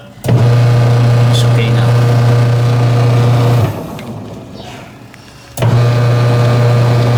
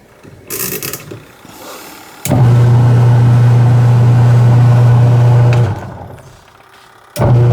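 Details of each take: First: Washing machine after adjusting drive belt tension, previously noisy with powerless impeller: steady low motor hum that starts, pauses about two seconds, restarts, with no slipping squeal; belt drive now normal. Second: what i'm going to do today is to check this washing machine what is the problem why it's noisy and the impeller or rotary blades is powerless when turning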